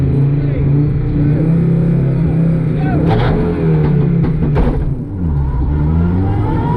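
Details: Audi Quattro Group B rally car at Grimsthorpe Castle 2024: loud revving engine with uneven, stumbling beat and dropouts as it climbs; engine misfire persists, cause unclear.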